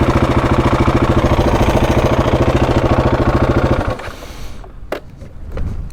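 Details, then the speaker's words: Husqvarna 701 single-cylinder on trail ride, after fresh oil and filter change: steady rapid clatter, about three knocks a second over lumpy idle; timing chain noise, owner suspects tensioner. "The bike hasn't settled. It's still there's like a clattering still coming from the timing chain."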